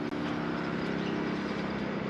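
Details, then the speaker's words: 2009 Lincoln Town Car air suspension compressor running smoothly with an even buzzing hum, no knocking, while the sagging rear rises; separately the right rear airbag was found leaking. "okay so now we can hear the pump running"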